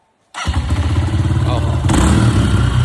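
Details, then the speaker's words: Honda CRF125F dirt bike after draining old gas, cleaning the carb, and tightening a loose throttle cable; starts straight away and settles into a quick, steady, throaty putter with no stumbling; normal start and idle. "sounds like American Muscle if this doesn't get you going we don't know what"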